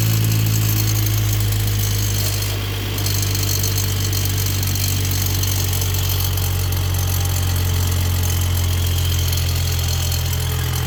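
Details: 2022 Mercedes-AMG E53, M256 3.0L I6, about two months old: cold-start fast idle with a loose buzzing rattle over a steady drone, like a lawnmower, from the turbo side; owner is sure it's the wastegate and its actuator rod rattling.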